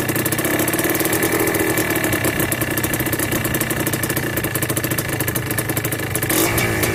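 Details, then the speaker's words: Yamaha Blaster 200cc two-stroke with FMF pipe, warmed up after carb needle, clip and pilot air screw tuning: rapid pops that sag and stumble slightly; idle speed too low and to be raised at the idle screw. "I might turn the idle up a little bit higher because she's a little bit low."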